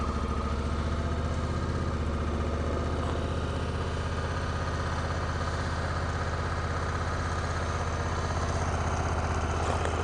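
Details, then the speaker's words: Honda Africa Twin CRF1000L twin at 2°F, just started after warming inside: even steady low thrum about four beats a second, no misses or knocks; thick oil, dragging clutch; normal cold idle. "Okay, oil's thick and that clutch drags pretty good."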